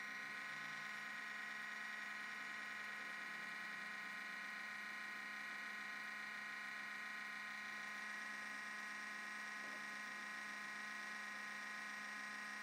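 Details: MacBook Pro making a quiet, steady high buzzing whir at constant pitch from startup; sometimes hangs at login/blue screen, Apple store found nothing wrong; abnormal buzzing, cause unknown.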